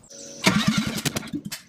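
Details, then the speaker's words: ST170-engined Mk1 Escort on an ME221 ECU with a base map, first start attempts: short crank with uneven pops and bangs dying back; spark, fuel and flames present but it won't run or idle; owner plans to check cam timing. "So unfortunately I didn't actually get the engine to run and idle. We've got spark, we've got fuel, we've got pops and bangs, we've got flames, but it's not actually running."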